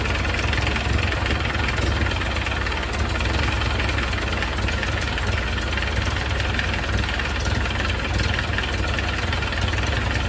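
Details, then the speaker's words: 1931 Ford Model A, long stored in a barn, idling after timing adjustment; loud raspy idle with fast even puffing chatter low down; very noisy exhaust leak the owner needs to tighten. "and I got to try to tighten up this exhaust it's just very [Music] noisy"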